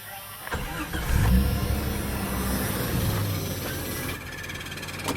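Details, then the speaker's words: 1995 Jeep Cherokee XJ 4.0L I6 started after water pump work: cranks and catches, then a rough low idle with a faint uneven whirring tick on top, attributed to the bent water pump pulley. "I know what that sound is test the water pump pulley because we bent it a little bit"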